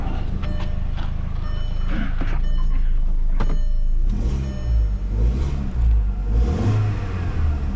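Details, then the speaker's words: 2004 VW Golf 2.0 after installing a new A/C (fan) belt, replacing a cracked one that squealed with the A/C on. Compressor engaged, both fans running. Revving rises smoothly and falls back with no squeal or chirp from the belt: normal belt operation. "you don't hear anything coming from the belt the buing came off I would say I successfully put the belt on"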